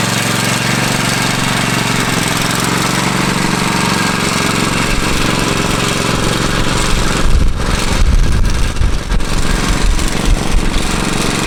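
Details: Free Craftsman riding mower, previously said not to run, owner found battery issue, before fuel drain and oil change; small single-cylinder steady even throb with clean firing, load shifts briefly as mower moves; normal running.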